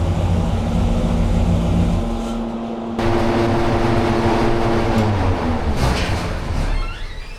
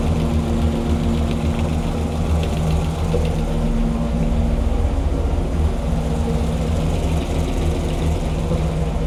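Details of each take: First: Hemi V8 on dyno with timing at 32°, pulled to 6500 rpm: hard roar, then brief crackle near the top with power drop; high-rpm misfire, valve float suspected. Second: Hemi V8 rebuilt after a defective part, on the dyno with timing around 34°: deep, even lope at steady idle with no ticking or tapping from the top end; lifters quiet, normal idle.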